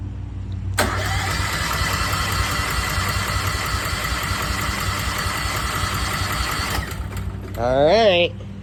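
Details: Westinghouse 20,000 W portable generator at first start-up after unboxing: starter cranks steadily about six seconds with no firing, fuel not yet through the system; fuel solenoid possibly stuck.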